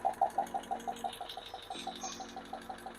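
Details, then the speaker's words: Hemi lifters: one hydraulic lifter ticking, sharp light ticks about three times a second, steady with the turning speed. The ticking starts out loud and quiets down. Heard with a lifter tester running at about 70–75 psi oil pressure. "It started out kind of loud, but it's quieting down. You can tell we have a lifter that's giving us the noises."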